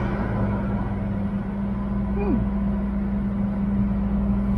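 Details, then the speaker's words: Airstream Basecamp 16X rooftop air conditioner after the trailer sat in 100-degree heat, switched from high cool to low cool. Steady low hum and even fan rush with no rattle or squeal; noticeably quieter, normal operation. "You can still hear it, of course. It's still a fan running, but that feels like you can have a normal conversation without having to scream."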